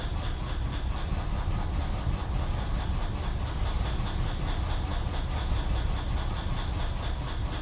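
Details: 2003 BMW 745Li E66 after spark plug and ignition coil replacement and a new battery; lumpy uneven idle, shaking and stumbling; camshaft sensor codes and misfire fuel cutoff on cylinders 8,3,7,6,4; owner suspects camshaft position sensors; engine misfire.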